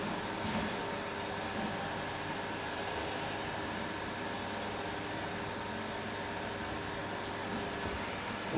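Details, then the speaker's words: Refrigeration condenser fan motor, running: steady whir with a rough, gritty hum and fixed tone from a worn motor bearing that needs changing. "I've got this one running and you can hear the bearing on that. It's not very good."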